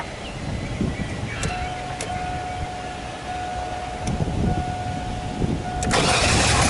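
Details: 2003 Chevy Astro van, after rewiring the MAF sensor feed to the pink ignition wire: cranks and catches, then runs unevenly with an irregular lumpy beat and no steady settle, rough running, cause not yet found.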